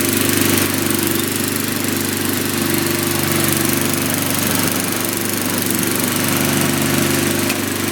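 Small single-cylinder engine holds a steady, even drone with no knock or miss; runs fine.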